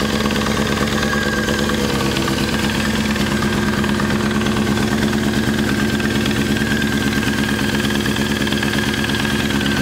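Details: F4i four-cylinder at steady idle with a fast, light ticking over the exhaust beat. It persists after installing a new OEM cam chain tensioner; the source is still unknown.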